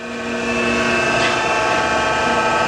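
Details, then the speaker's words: 2017 Chevalier FSG-3A1224 12x24 hydraulic surface grinder, 3-phase, in a plunge cycle with the table reciprocating and hand-wheel feed: steady, even hum with a clear constant tone and smooth whirr, no knocks or rubbing; normal running. "And we get our table going back and forth. We're going to feed here with the hand wheel 2 pulses."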